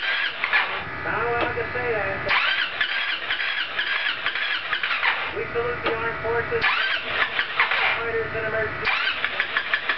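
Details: Roketa MC-54-250B scooter, 1730 miles, stalling at every stop: repeated starter bursts of a couple of seconds, engine struggling to catch; hard restart caused by intake and exhaust valves having zero clearance at TDC, fixed by adjusting valves.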